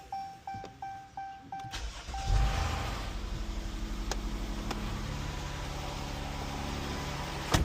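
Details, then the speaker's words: Jeep after rocker arm and lifter repair for ticking, first start after codes reset: door chimes, then the engine catches and settles into a smooth, even idle with no lifter tick; fixed. "I don't hear any ticking. Alright, this is how it sounds now. It's all warmed up."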